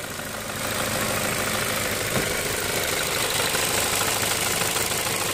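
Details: 2008 Ford Fusion bought at auction with a transmission hiccup: smooth even idle hum with a steady hiss on top, no knocks or misses; engine idling healthy and quiet.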